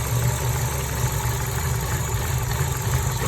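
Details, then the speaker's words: 2012 Chevy Cruze LS 1.8 at idle: low, shaky, slightly surging idle with irregular pulse; no PCV leak found, cat refitted, still shaky; owner suspects PCV valve in the cover, cause unknown despite many parts replaced. "2012 chevy cruze ls 1.8 having a surging idle a slightly surging idle i don't know if you can see it that well in the camera but engine is shaking very slightly"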